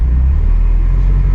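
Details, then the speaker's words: Ferrari 308, bought non-running and previously needing throttle feathering to stay running, after specialist repair: deep, steady idle on its own with no hunting, and the alternator light goes out. "we got alternator lights to go out and it idles wow I know one of your things was it doesn't idle"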